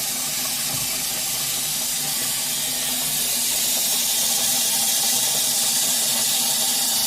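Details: WaterBoss water softener after freeing a stuck pusher: steady hiss of water rushing through the valve during regeneration, no gurgling or surging; normal flow.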